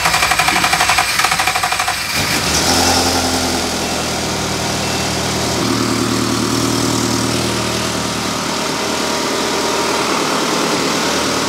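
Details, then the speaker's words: Ferrari-engined Alfa Romeo 105 after refitting the engine and plugging a hole in the back of the inlet plenum: cranks and catches at once, then steady even cold fast idle at 1200 rpm with good oil pressure, dropping to 950 warm; normal cold idle. "we have idle all right that sounds so much better it's it's idling at uh 1200 RPM which is what it's set to idle at at um when it's cold and as it warms up it drops down to 950"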